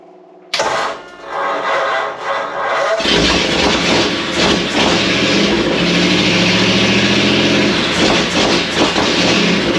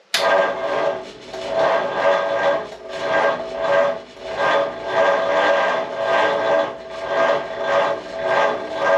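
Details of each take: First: 1937 Ford with a 59AB flathead V8, first start, new Stromberg carburetor, electric fuel pump, 6V system, no radiator or coolant, partial exhaust. After brief cranking it settles into a loud, even rumble on all 8 with oil pressure and no knocks. Carb and timing need slight adjustment. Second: 1937 Ford with a new, tight 59AB flathead V8 on a 6V starter, in neutral and raised up, with oil being nursed in before first start. It cranks sluggishly at about one turnover per second and does not fire; the weak 6V system is suspected to be cranking too slowly.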